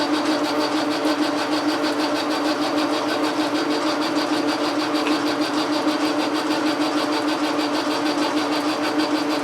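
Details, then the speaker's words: Logan lathe turning a rod down to final dimension for a telescope fork-mount declination shaft, after drilling with a ball-bearing steady rest: fast even ticking chatter about twice a second over a steady drone; owner suspects a tight bearing, adds oil. "silly what is the source of that noise we are tight here maybe we need a little oil here I'm gonna put a little oil on this bearing let's try again"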